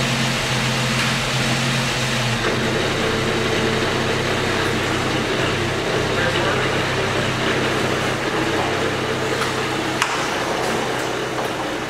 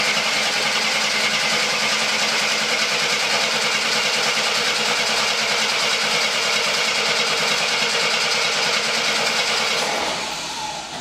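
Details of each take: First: 1972 Jeep Commando revived after sitting since 2012, with the original fuel pump and a stuck carburetor needle and seat freed: an even, quiet engine rumble holding a steady idle without hunting or knocking before its first drive. It runs smooth. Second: 1972 Jeep Commando that sat outside since 2012, on a first start attempt with the oil pressure unknown: the starter spins the engine at an even, quick rhythm for ten seconds and it never fires. The coil has voltage.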